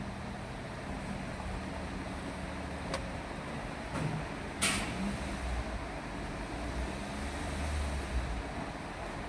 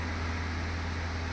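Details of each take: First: Toyota Etios Liva at idle with check engine light on, low uneven stumbling rumble; misfire with codes for cylinders three and four, checked by unplugging coils. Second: Toyota Etios Liva petrol engine after replacing all four faulty spark plugs (codes P0300/P0303/P0304 misfire): steady, even low idle hum with no stumbles, scanner showing zero misfires.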